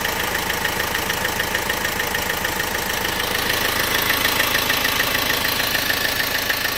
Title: 1.6CDTi Ticking noise 02